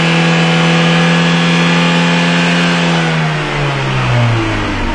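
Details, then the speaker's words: 2000 Ford Escort with a confirmed lean condition, stalling at red lights: high revs fall away and the engine sags and stumbles toward idle, nearly dying, from a big vacuum leak. "okay look at that yeah I made a definite mistake didn't I and my engine's about to go it doesn't like recovering from that does it"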